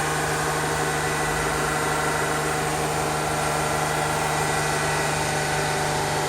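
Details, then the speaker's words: GMC New Look "Fishbowl" transit bus, diesel, first start in a year, building air to release brakes, a little smoky: steady, even idle with smooth rhythmic clatter, no misses or knocks; engine sounds healthy. "it's a little smoky but it certainly sounds good still not ready to move to somebody who spent a good chunk of their life in the 80s riding these buses this is music to my ears to hear one of these running"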